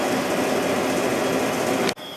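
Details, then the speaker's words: Sharp 8500/10500 BTU window air conditioner on low speed, shortly after startup, line frosting, about 5.4 amps: loud steady roar with faint metallic ringing that stops abruptly; usual startup ringing, cause unknown. "and it's making that ringing noise that it always does shortly after start up."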